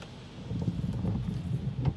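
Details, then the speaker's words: Windshield wiper chatter: irregular low thumps and judder as the blade skips on manual mode; silent on auto and speed 1. Owner suspects motor speed and voltage. Dish soap in the washer fluid helps only briefly, and cleaning the glass oil film is suggested. "然后我用成手动，你看哦，我这边手压，手压，有没有开始又跳的声音？"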